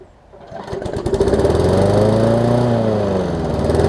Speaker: That one doesn't even sound like it needs a carb kit or anything. It sounds like it runs pretty good.